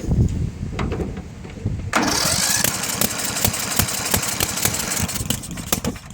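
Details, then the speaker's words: Murray 10 hp 30-inch mid-engine Briggs mower after being taken apart, started with a jumper box: cranks with irregular sharp pops out the carburetor, never runs, fuel pouring out; reed valve suggested, cause not found; backfire popping, won't start. "that's what I get. I get a bunch of popping noises. So it won't start."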